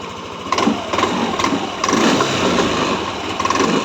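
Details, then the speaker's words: Yamaha NMAX V3 155 scooter at 9,500 km, running again after a burnt-wire starting issue was repaired with a long wire. Even single-cylinder idle with an occasional chirp, blamed on traction control being on. Normal idle. "So umaandar na yan. Pumupukak lang kasi naka-on yung traction control niya kaya pumupukak siya."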